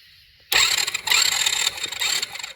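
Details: Kid-sized Tao Chinese quad with fresh 10W-30 oil, spark plug out for a spark check and cranked via brake plus button: a quick, light, even starter whirr for about two seconds with no grinding or clicking; normal.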